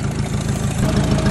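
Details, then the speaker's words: 1956 Ford 800 tractor, auction purchase with new clutch and carburetor, sat outside about a year, just started on choke: steady, even low chugging with regular firing pulses, no knocks or misses. Normal idle. "might have been hard to hear the Koda there but he's pretty quiet see if she'll stay running"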